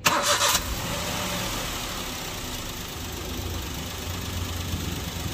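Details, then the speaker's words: Maruti Suzuki Alto K10 after replacing torn engine mountings that caused heavy engine and cabin vibration: quick crank, clean catch, steady even idle with no knocks or rattles; engine unchanged but cabin vibration gone, steering now silent. "Engine जैसे था वैसे ही है लेकिन vibration गाड़ी के अंदर vibration नहीं है"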